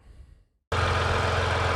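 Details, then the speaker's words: 2020 Ram 1500 EcoDiesel just after installing an intake kit at the turbo inlet: engine catches and settles into a steady, even diesel idle with no hiss or whistle; no intake leaks. "Well, I don't hear any leaks, so that's good."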